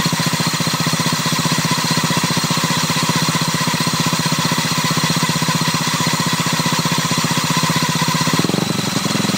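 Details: Honda Ruckus scooter, owner unsure what his variator's odd sound is: steady, fairly even ticking about four per second over the small engine's running note: abnormal variator noise.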